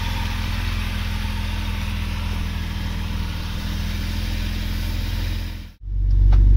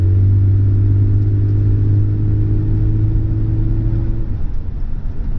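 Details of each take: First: Vauxhall Senator CD 3.0 24V straight six, parked for months for cutting out; steady low idle runs about six seconds then abruptly dies after wiggling wiring, water seen dripping, owner suspects water in the ECU plug: stalling at idle. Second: Vauxhall Senator CD 3.0 24V straight-six, parked for months after cutting out and running poorly: very quiet, even low idle hum with no roughness or misfire; fault thought to be water in the ECU.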